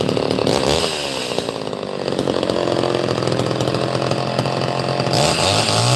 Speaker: It finally ran on live also. Look at that. It actually sounds pretty good.